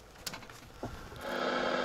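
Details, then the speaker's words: Two soft, sparse clicks then steady hiss from a 1971 Panasonic RC-6900 talking alarm clock radio; interference clicking stops after tinfoil shield is placed underneath. "i'm going to put some tinfoil on top of that well underneath there and see if that cuts out the clicking"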